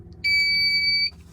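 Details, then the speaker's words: Ampeak 2000W pure sine wave inverter in a van, fed from a battery at 12.3 volts, switched on; one clean high beep under a second over a quiet hum before voltage reading; normal power-on beep. "It gives you a little beep, then it gives you a reading of the voltage."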